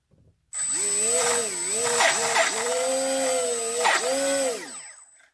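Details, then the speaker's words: HobbyKing EZIO 800 electric RC glider on a 2-cell battery. At only 25–30% throttle the motor's high whine wavers with grinding, squeaking, gritty patches; a second battery does the same, so it is not the battery but a defective brushless ESC. "can probably hear those grinding noises so it's not battery related"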